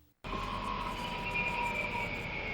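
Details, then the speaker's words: 2010 Toyota Prius hybrid decelerating: steady high whine over road hum, easing down in pitch as the car slows, from the engine room; the motor powering the regenerative brake, normal hybrid sound. "the engine room. This is the sound of the motor powering the regenerative brake."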